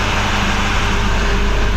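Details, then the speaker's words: 2024 Chevrolet Silverado High Country Duramax diesel, first start after replacing turbo damaged by plastic: deep, steady idle with even low rumble, no whistle or screech; only power steering a bit noisy from low fluid, otherwise sounds healthy. "besides that, everything sounds pretty good."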